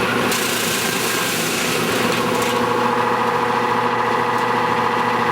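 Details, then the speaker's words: Nordyne air-conditioning condenser unit, fan sprayed with water: fan noise swells into a loud, tonal drone with a rough buzz and more vibration, heard all over the yard, despite a replaced motor; original two-blade fan likely resonating when wet, cured by fitting a three-blade fan. "immediately the unit gets very noisy. The noise is a lot louder than what you would expect from an air conditioning system. You can hear it all over the yard."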